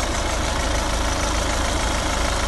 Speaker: so it has been running for probably 10 to 15 minutes hopefully as you can hear there's no rattles or flywheel